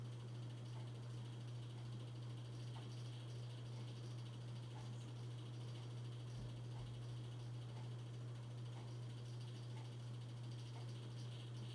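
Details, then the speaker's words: 42-inch Hampton Bay Landmark III Plus ceiling fan, installed around 2011 in a laundry room, on medium speed: steady low hum and whoosh, louder than on low, buzzing and starting to wobble very slightly; loud running with slight wobble. "all right here goes median starting to get louder now it's also starting to wobble very very very slightly"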